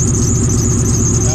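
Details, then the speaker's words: Supercharged car idling after a new belt and X pipe were fitted, awaiting a tune: thin, steady high squeal over a lumpy idle, unchanging; owners traced it to the alternator pulley. "That's pretty much the alternator that's doing that noise."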